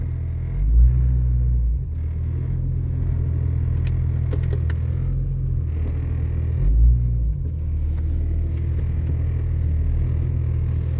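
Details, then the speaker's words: 1996 Jeep Cherokee XJ with newly installed front axle, open differentials, pulling in 4-high: low droning rumble swelling into heavy groaning surges that sound like drivetrain binding, though binding shouldn't occur; cause unknown. "There's open differentials on this thing, so there shouldn't be any issues with 4 high. There shouldn't be any problems with it binding up. Sure sounded like there was, though."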